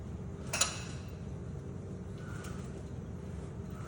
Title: Clicking noise from the front Wheel when turning the steering Wheel C63S.